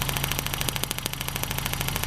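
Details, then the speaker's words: 1995 Ford Contour 2.0 four-cylinder with random misfire, valve cover off, idling: rapid sharp snapping clicks, about thirteen a second, as a cracked spark plug wire arcs to the aluminum wall; temporary fix is wrapping it with electrical tape. "insulate it so it doesn't try to fire out against the aluminum wall there so you know can you hear it"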